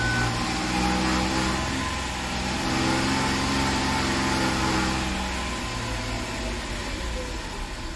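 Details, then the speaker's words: 2013 Jaguar XF 3.0 AJ126 supercharged V6 after engine repair with timing chain kit, fresh 5W20 oil, low coolant and low fuel of unknown age: steady, even idle with a smooth low hum, no knocks, ticks or hunting; runs cleanly, no fuel leaks. "I like it I think it sounds good I'm going to shut it off"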